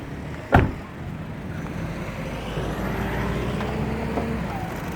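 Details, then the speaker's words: 2014 Honda Mobilio 1.5 E automatic, 1.5L four-cylinder i-VTEC petrol, about 48,000 km, first owner: after one brief click, low, even, steady idle rhythm with no knocks or misses; healthy engine. "Jadi mesin itu sebenarnya suaranya itu irama rata ya. Jadi tek tek tek tek tek tek tek seperti itu."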